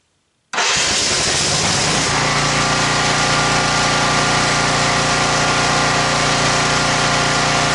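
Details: Champion generator found at a dump, 885 hours on the meter, first start after repairs. Pull-start catches at once into a steady, even governed drone with no misses or knocks. Smoked heavily at first, then cleared, possibly from leftover oil after tipping. Normal running.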